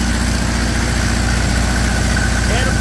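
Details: Onan 15.0 JC generator converted from gaseous to a tri-fuel carburetor, running on gasoline, unloaded before a 15 kW load test: even, steady low drone with constant pitch and no knocks, idling smoothly.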